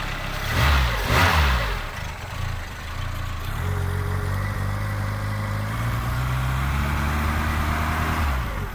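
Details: Four-stroke straight-four car engine with one broken cylinder cranks, catches and settles into a lumpy, uneven, lopsided idle said to sound like a Wankel rotary. This is a dead-cylinder misfire.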